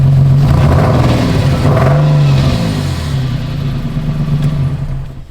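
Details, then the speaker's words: Drift car after clearing codes: revs then stumbles unevenly and fades; misfire returns with a code immediately, no crank or cam sensor code, owner suspects CAN issue or coil packs, cause not found. "It almost sounded like those coil packs still didn't do any"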